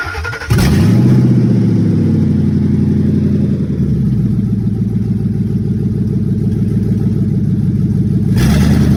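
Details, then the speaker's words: Towed auction truck that dies when jump box removed or put in gear, started on jump: loud raspy, open pulsing exhaust at idle and light revs; catalytic converter not cut, exhaust pipe broken and taped. "Sounds like it has an exhaust issue and may have the cat cut out of it."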